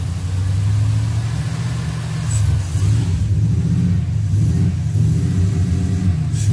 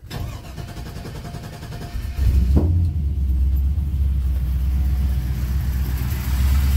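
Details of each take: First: LS V8 from a donor, run on an engine stand outside the C10 truck with Holley Terminator X management, after ultrasonic injector cleaning and fixing two loose spark plug wires: deep, even burble with steady low pulses, no stumble; firing on all eight cylinders at idle. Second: LS V8 on engine stand for C10 swap, Holley Terminator X management: cranks and catches into a lumpy, stumbling idle, running on six cylinders from two loose spark plug wires; fixed, then fired on all eight.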